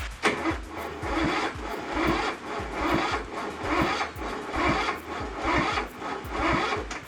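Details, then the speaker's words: Craftsman ZTS7500 zero-turn with Kohler Courage engine, spark plug boot off, valve cover bolts loose, on a jumper pack: slow, labored cranking about one compression stroke per second, never catching; oil present, suspected too little battery power to crank fast enough. "I've got oil it's just not cranking enough to go fast enough to fire"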